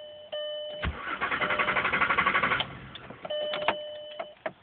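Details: Mk4 Jetta VR6 cranks but won't start: warning chimes, then the starter cranks about four pulses a second and never catches; intermittent, worsening start problem; owner suspects a battery cable, electrical fault unconfirmed.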